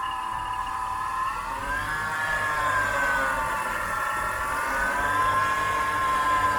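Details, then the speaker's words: BMW E46 at idle: steady high whine wavering slightly in pitch; suspected air-conditioning compressor, sounded normal once the compressor belt was removed; AC compressor whine. "und das könnte eventuell der klimakompressor sein dass versuche herauszufinden woran"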